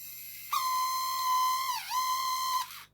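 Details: Addams Family Thing coin bank drive motor, run after a few drops of IPA and before greasing: a steady high squeal near one kilohertz that dips briefly and recovers; motor squeal, gone after grease.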